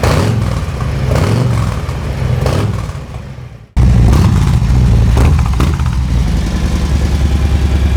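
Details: Brand-new 2024 Harley-Davidson Softail Low Rider S V-twin, cold, just after slip-on TAB Performance 2.25" exhaust install: loud lumpy burble with throttle blips, stops briefly, refires and settles into a strong, even idle; normal idle and revving.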